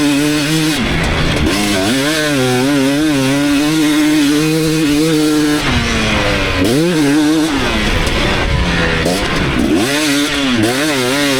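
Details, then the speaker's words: 2019 KTM 250SX two-stroke, Lectron Billetron 38 Pro carb, riding under load mid-tuning: sharp metallic crackle on throttle, still detonating from lean jetting; next step is turning an eighth turn back out. "this is still detonating I'll go 1/ 18 turn back out and I think that that'll end up being absolutely perfect"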